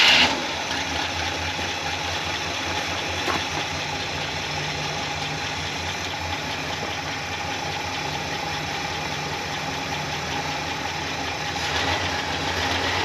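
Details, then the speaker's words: 1966 Cadillac Sedan DeVille, 28k original miles, sat over 10 years, started after the fuel pump was refitted: steady idle with a light quick tick keeping pace with engine speed; owner suspects a lifter that later pumped up. "noise went completely away lifter must pump back up or whatever i figured that's what it was"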